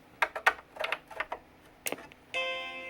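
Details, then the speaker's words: Macintosh IIcx with a recapped logic board, powered on after reassembly: a few handling clicks, then one clean, steady startup chime as the machine boots normally. "hey we got a chime"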